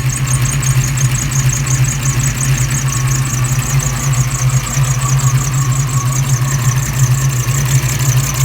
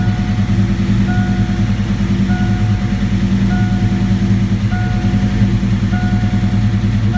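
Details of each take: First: 1987 V8 after Promaxx heads and new rocker install, back from a road test: steady idle with faint rhythmic high chirp about three a second; valvetrain squeak, owner suspects pushrod rubbing a guide plate, not confirmed. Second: 1987 V8 after Promaxx cylinder heads and new rocker arms install, computer relearning after battery disconnect: deep even idle holding steady under a repeating chime, no miss or hunting; running smooth, normal idle.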